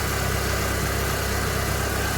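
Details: 1997 Vauxhall Astra F Mk3 running after a timing belt change: a steady, even low idle hum with no knocks or misses. A normal idle.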